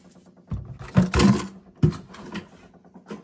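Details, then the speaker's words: Delta shower valve: low motor-like droning hum with irregular heavy thumps heard in the supply pipes; stops when any of three feed valves (shower, toilet) is shut; failing pressure-balance cartridge, fixed by replacing the cartridge. "I'm not sure if you all hear that. Sounds like a motor running. It's in those pipes."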